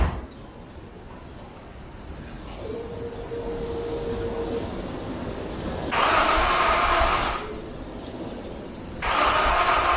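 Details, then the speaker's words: Honda S2000 that will not start and is suspected flooded, cranked with the injectors disconnected to clear it: two rushing cranking bursts of about a second each with no firing. Flooded engine, cranking no-start. "Actually, we're gonna go ahead and just crank it for a few different times, and then we'll go from it."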